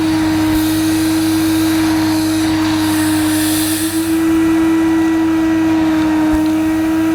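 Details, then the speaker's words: Mid-1990s (c.1994) Hoover Aquajet Electronic S4488 shampooing carpet: loud steady motor whine with faint pump chatter and a small dip under load; pump and motor fine, only drag wand position and solution-tube kink need sorting. "well there you go in theory and i suppose in practice this hoover aquajet electronic does work as it should the pump is fine the motor's fine"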